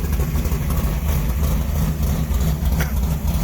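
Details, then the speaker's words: V8 after switching from a BEI to a Mallory dual point distributor: it fires right up into a deep, lumpy idle with steady firing and no knocks or misses; normal. "dual point Mallory is working really good in the sense that this car just fires right up. I mean, it's quite amazing."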